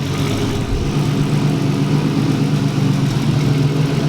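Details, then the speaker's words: 240 restarted after a destroyed clutch throw-out bearing was replaced and an oil change, owner fearing a blown engine: steady, even idle with a smooth low drone, no ticking; the earlier noise is gone, normal idle. "anymore dude it's not making the note"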